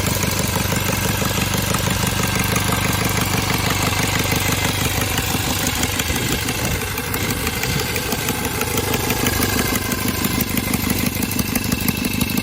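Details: Cub Cadet 482 tractor, swapped 12.5 hp Briggs opposed twin with rebuilt carb, unmuffled: loud open-exhaust bark at a steady, even two pulses per second, holding smooth, sounding like an old 4-cylinder Farmall; running healthy.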